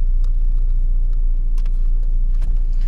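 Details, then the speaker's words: Volkswagen Passat B5 1.8 petrol idling smoothly and evenly with no misfire after camshaft position sensor replacement; engine starts readily, no warning lights on dash, no faults stored; previously would not pull, with Hall sensor, airflow meter and throttle body errors. "заводим машинку машинка заводится очки никакие не горят на приборной панели"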